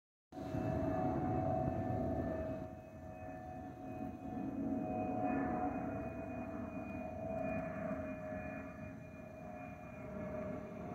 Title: Delta Airlines Airbus A319-114 N365NB DL645 MEX-DTW (FOPP Whistling Sound)